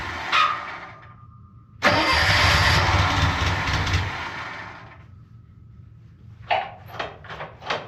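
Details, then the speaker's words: Budget Bobcat skid loader, about a year into ownership, cold start with the air under 20 degrees: a short crank, then it catches and settles to a steady, even idle with no knocks while warming up. A normal cold start. "Pretty cold out, I don't know, under 20 degrees, so we'll let this warm up a while."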